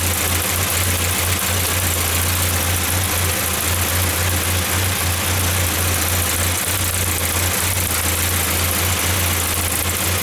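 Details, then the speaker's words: 1994 Saab 9000 non-turbo 5-speed, injectors rebuilt, new battery: low idle drone swells and sags unevenly every few seconds, hunting; data stream good, owner suspects throttle position sensor, unconfirmed. "everything in the data stream looked good i don't understand why it's surging"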